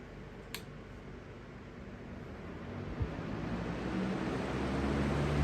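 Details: 20-inch Lakewood/Holmes replacement box fan with an open bearing: soft steady airy hum with a faint low throb; slight imbalance only, much less than the previous fan, no bad noise.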